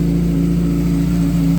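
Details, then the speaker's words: 2008 Kawasaki ZX6R after cam chain tensioner (CCT) adjustment: smooth, steady inline-four idle hum with no ticking or rattle; the previous valvetrain tick is fixed. "so as you can tell that did fix our problem"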